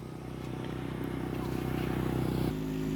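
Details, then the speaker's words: Honda motorcycle that jerked and stalled on pull-off, ridden after repair: a cracked clutch gear and heavily worn, grooved clutch were found (the suspected broken clutch spring was intact). Single-cylinder putter climbs evenly then steadies; now normal. "โอเคปกติแล้วนะครับทุกอย่างที่มันเสียนะครับมันย่อมมีสาเหตุนะครับ"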